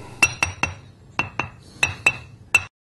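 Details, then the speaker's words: Ring test on a grinding wheel: eight quick taps give short, dull clinks with no ring, showing the wheel is cracked; an uncracked wheel rings clearly. "Now that same stone, only this time with a crack. Notice how dead the sound is. There's no ring to it."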